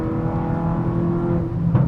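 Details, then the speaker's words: Car at 120,000 miles with new APR ignition coils and Brisk silver spark plugs, pulling in fourth gear under load: smooth, even engine roar, no misses or stumbles, ignition firing consistently; normal acceleration. "You can hear it roaring away in the engine, just how consistent that spark is, you can tell."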